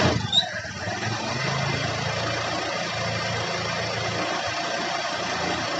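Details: Honda Beat scooter after fixing the clicking front pulley shaft: fires up and settles into a steady, even idle with no rattle from the front pulley; runs smooth.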